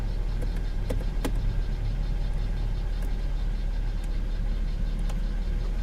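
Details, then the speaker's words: V6 car with an airbag light on, AC running: smooth, even idle with a low steady hum and a few faint clicks as the compressor cycles; the engine sounds healthy. "It runs good. It sounds good."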